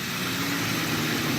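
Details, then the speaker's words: Marketplace car with suspected knock, idling with the accessory belt removed, no belt-driven accessories: steady, quieter running, screaming tensioner pulley gone, no knock; noise was from the AC, engine healthy. "now we're running the engine no belt driven accessories it sounds quieter because that tensioner pulleys is screaming anymore"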